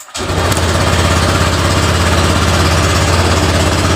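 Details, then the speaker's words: Honda Vario LED scooter with complaints of weak power, hard starting, stalling and juddering when ridden: at cold start it catches right away, rpm high at first then settling to a steady idle; a normal first start. "nyala pertama normal untuk rpm-nya tinggi dulu setelah itu baru stasioner"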